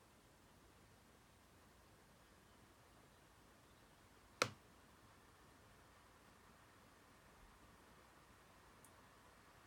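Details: 2016 MacBook Pro, most parts already replaced, under heavy load playing a 4K sequence in Premiere Pro: one sharp internal pop over a faint steady hiss, then a softer tick. Owner suspects the fans; it also happens randomly.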